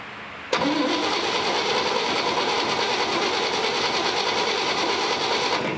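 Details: Barn-find 1958 Chevy Apache pickup, small-block V8, 4-speed, first start attempt on a battery owner doubts is enough, float bowl filled: starter spins steadily about five seconds at brisk, even speed, never fires; spark unverified, accelerator pump not working.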